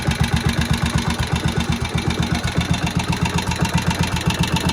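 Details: Old barn-find Moto Guzzi single first start after 40 years, head work done: unhurried even thump about four beats a second at tickover, no misfires or mechanical noise, oil tight, fuel dry; sits there ticking over very nicely.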